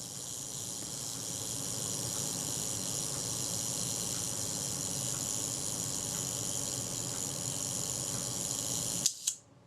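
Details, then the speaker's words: Serviced Synchro-Compur size 0 shutter from a Voss Diax Standard camera, cocked fully to set the self-timer on X setting; fine, even buzzing escapement runs about nine seconds, then one crisp click as the shutter fires; self-timer works normally. "Now if we were to continue the cocking action all the way, we'll have set the self timer and you'll hear the self timer running down."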